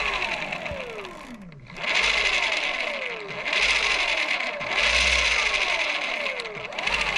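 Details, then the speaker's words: BBSHD mid-drive e-bike motor over-greased with moly grease that reached the nylon gear roller clutch; on pedal assist, whirring surges fall away as something spins freely and slips. Owner suspects clutch or nylon gear; cleaning grease seemed to fix it. "the pedal assist is going and like something is spinning see there it spawn and there it's not and you can hear something it sounds like something is just like spinning freely like over"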